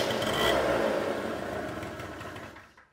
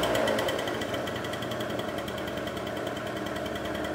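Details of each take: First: Two-stroke scooter during carburetor adjustment, idle speed screw backed fully out: buzzes at about four beats a second, then fades and dies to silence; idle speed set too low. Stalling at idle. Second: Two-stroke scooter after carburetor idle screw adjusted in step by step: fast, even buzz holding a steady note with no hunting or stalling; idle set right and running clean. Normal idle.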